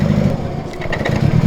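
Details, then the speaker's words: Nissan Silvia S13, long unused, at low speed moving onto a trailer: lumpy, uneven putter with missed beats and a sharp ticking chuff; misfire with exhaust leak, cause not confirmed. "But she's not happy. Bit of an exhaust leak there."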